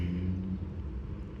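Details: 2004 Toyota Camry XV30, 2.4L I4, automatic, just started after starter replacement, hot day: low steady idle rumble with no knocking, ticking or grinding; normal idle.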